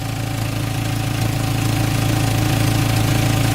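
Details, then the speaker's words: Warm Jetta idling after the rusted resonator was replaced with clamps and muffler tape. Steady, even low hum with no hiss or puffing; no leak at the band, and a small rear leak is fading. Normal idle. "no leak at the band oh nice this one's already starting to go away a little bit"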